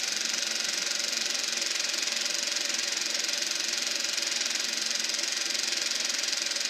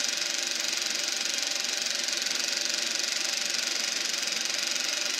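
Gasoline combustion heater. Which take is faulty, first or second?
first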